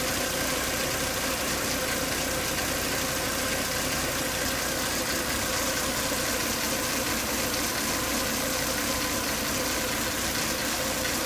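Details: Volvo S80 2.5T, warm after 10 to 20 minutes running; steady high whine over a rough, busy idle, sounding like something broken inside; also strong vacuum at the oil cap and coolant boiling; cause not yet found; engine whine.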